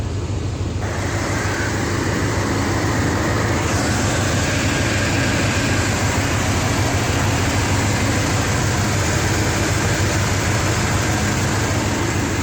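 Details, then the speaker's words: Buick 455 big block hot rod wagon with points ignition and Quadrajet carb, cruising without downshifting on new tires; smooth, even engine drone under loud wind and road rush, no ticking or knocking, normal running. "sounds good though oh it's beautiful up here on we go"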